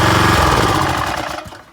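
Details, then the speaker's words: Craftsman 3000 psi pressure washer, Briggs & Stratton 190cc 8.75hp, no tip: Quiet Sense working, roaring at full throttle with trigger pulled, then dropping smoothly to idle on release. "It's operating as intended. It goes back to full throttle. And down when I release the trigger. That's the way Quiet Sense works."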